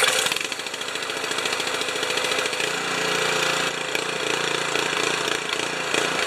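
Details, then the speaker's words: Honda HS720 snow thrower engine after the carburetor bowl, jet and emulsion tube were refitted, running unloaded with a choppy beat whose speed keeps swinging: still surging at no load, so the carburetor is to come off for ultrasonic cleaning. "it's still surging under no load so that means I'm going to take the carburetor off and put it through the carb washer"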